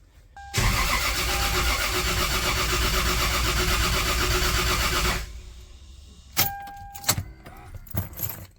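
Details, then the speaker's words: Lexus GS300 after first engine rebuild (ARP head studs, Supra head gasket, new bearings, rings, seals) with timing realigned: about five seconds of steady fast cranking that nearly fires but never runs; crank no-start, cause unconfirmed. "damn that damn near went off okay i did not expect that it actually tried to uh fire"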